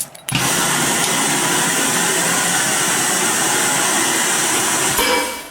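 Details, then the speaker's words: Piab piFLOW vacuum conveyor started during a basic operation check: pump kicks on sharply into a steady, even rushing hum, air shock back pulses, flap opens; normal start-up. "what we really want to key in on is that the pump starts the air shock back pulses and the flap opens and closes correctly"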